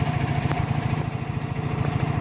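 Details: 2014 Silverado idling with AC running while being recharged with refrigerant after discharge hose replacement: low, even idle pulse with a faint compressor hum, no irregularity; healthy.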